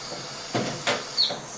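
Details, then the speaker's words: Toilet tank refilling through a failing Fluidmaster fill valve: a steady high hiss with a brief thin whistle of air escaping through a hole in the valve, instead of the normal whoosh of water; the valve is being replaced. "Whistling noise it should be more of a whoosh noise as water goes in to fill it um but what it is is a whistle of air going through the hole in the fill valve"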